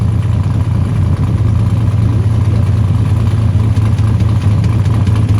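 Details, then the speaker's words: 1979 Ford Capri Mk3 3.0 Ghia manual, barn find revived after about 20 years, running from a jerry can with no coolant, run about 5 minutes next day; deep steady exhaust rumble without stumbles or knocks; engine healthy, normal running. "Got it running, that was the goal. We know she's good, we know the engine's good."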